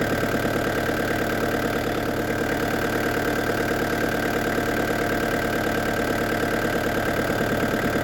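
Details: Restored diesel camper van with a new radiator, idling after a road test at up to 80 km/h. Steady, even clatter with a constant beat and no knocks or misses. A slight diesel seep is seen at the pump; owner suspects a leaking seal.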